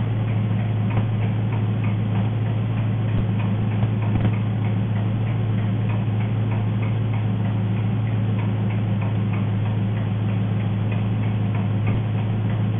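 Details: Engine running on gas (LPG) at idle: fast, light ticking over the low drone, an enormous nailing sound; cause not pinned down.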